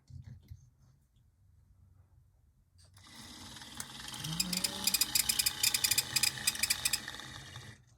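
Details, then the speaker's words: Model locomotive run on a straight DC transformer instead of PWM: quiet, then motor spins up into fast, uneven, gritty ticking rattle; not derailed, needs lubrication; rough gear noise. "the other one was a pulse width modulation transformer and this was a straight dc transformer so it sounds a little rough"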